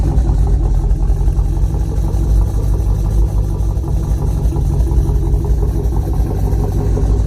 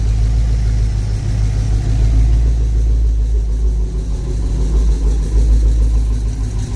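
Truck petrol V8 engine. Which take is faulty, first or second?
second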